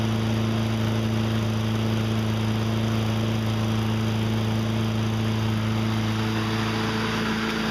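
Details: Toro 20074 electric-start push mower that spun over with no spark, after freeing the kill bracket for full range of motion: smooth, steady hum at constant speed with no stumbling or surging. Running normally.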